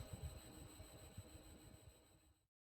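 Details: Big Ass Fans large industrial or commercial fan motor: faint steady high-pitched tones over a soft low rumble; drive frequency noise, usually cured by a drive parameter adjustment.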